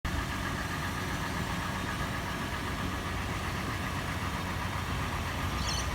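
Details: FJ petrol engine at idle just after a warm start, heard from interior, exterior and engine bay: busy clattering that later becomes slower, louder metallic tapping or knocking, faster in park and neutral, slower under load in drive, worse decelerating from 1800 rpm.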